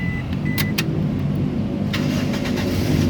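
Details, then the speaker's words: 2005 Toyota Kijang Innova 2.0 V automatic, 165,000 km, started after checking the oil: engine fires promptly and settles into a smooth, even low idle with a couple of chimes; normal engine start. "Nah, pada saat kita nyalakan mobil, pastikan bahwa dia nyalanya itu jreng ya, jreng."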